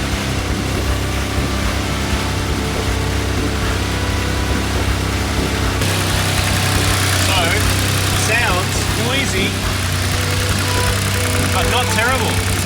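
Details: Subaru Levorg, turbo flat-six, 600+ hp, first run after weeks of engine work to cure a noise: fairly loud but steady idle with no knocks or ticks; sounds healthy.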